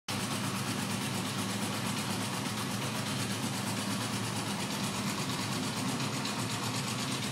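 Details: Honda CB900 Bol d'Or four-cylinder at steady idle with an even, fast ticking layered over the exhaust note; abnormal engine noise, source unclear.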